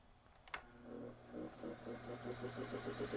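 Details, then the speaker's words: Lasko PN020350 floor fan that hardly spins: a switch click, then a low motor hum with a rough pulsing grind that stops almost at once, from a binding shaft, in a 65.5° workshop. "let me turn it on and as you can hear it's making a grinding sound and then it stops very quickly"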